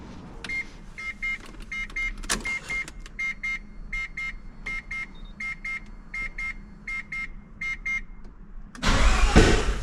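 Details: Mazda FD RX-7 rotary, first start after a fuel system overhaul with relocated fuel filter, cleaned injectors and slightly thicker fuel hose. Cranking chatter with chirping beeps, then it catches and revs rough and loud. Normal start and running.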